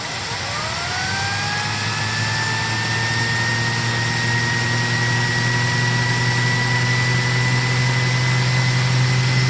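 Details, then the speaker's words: 2006 SEBO Airbelt K2 vacuum on high power during a sealed suction test: the motor whine climbs then holds high as airflow is choked and the turbo brush stalls, reading around 18. "The turbo brush stops. Oh, that's funny."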